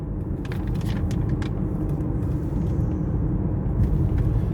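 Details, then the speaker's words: 2018 Ford Escape 1.5 L, brought in for transmission leak and whine: steady highway cruise with low road rumble and engine drone, no pump whine rising with speed; transmission operating normally, pump judged fine. "So far, I have not felt any or heard any pump whine."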